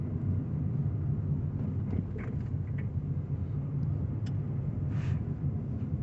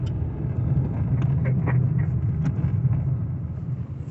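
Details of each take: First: Car driven over speed bumps after lubricating dried, cracked anti-roll bar bushes as a temporary fix: steady low road rumble, with the earlier creaks, squeaks and crunches completely gone. Worn bushes and shock absorbers still need replacing; the suspension is now quiet. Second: You can hear lots of creaking, squeaking, and just very annoying, unpleasant noises from the back end on this vehicle.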